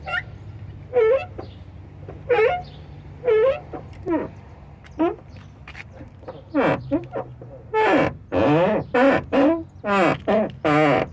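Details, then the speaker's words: VW Gol G5 door: a wavering high-pitched creak each time the door swings, several in a row; dry door hinge needing lubrication, other door also creaks but less. "e o que é que acontece em e isso só que não pode ser uma porta só pode ser uma escola de samba"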